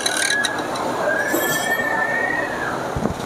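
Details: Worn fan belt tensioner bearing, heard when revving, possibly through a stethoscope: rough, gritty running noise around the fan belt with a thin steady squeal riding over it.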